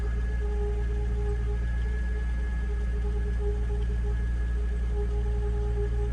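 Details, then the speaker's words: 2008 Jeep Wrangler JKU after water pump replacement, which stopped the earlier squeal: constant high supercharger-like whine over the idle that doesn't waver; source still unknown. "Sounds like a supercharger. All right, back to the drawing board. Well, the water pump's not making no noise anymore. I don't know what that sound is."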